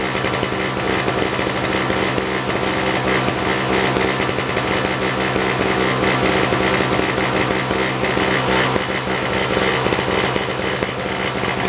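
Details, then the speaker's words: 1970s Nova two-stroke snow blower, possibly a 1973: ragged, buzzy running that stumbles and wavers, with the choke seeming to make no difference. Rough running; owner suspects a stuck choke or the carburetor, unconfirmed. "I expected a backfire. It don't sound like it's running all that good."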